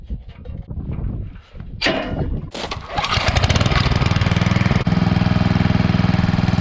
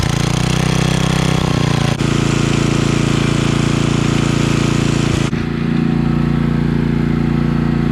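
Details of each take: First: Coleman Powermate 5000 W generator after a new spark plug, still giving about 80 V: a steady but low chuffing beat, about four a second, running under full speed; the throttle adjustment needs correcting. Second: Coleman Powermate 5000-watt generator after cleaning, fresh fuel, new spark plug, oil change and throttle spring adjustment: steady drone with one brief dip, then holds even at full speed; voltage raised from about 80 to 120.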